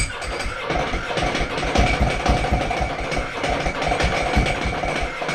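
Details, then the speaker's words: Ducati Multistrada, just bought, water in exhaust, starter kept turning after button release: lumpy twin idle with loose rhythmic clanking rattle on each pulse; ordinary open dry clutch chatter. "stir it up man is that the dry clutch yeah the clanking"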